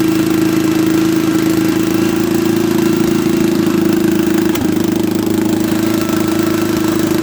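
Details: Late-1960s or early-1970s Bolens tractor, single-cylinder, pulled from barn after sitting many years, ignition bypassed: steady single-cylinder putter, firm even hum, no knocking; running normally.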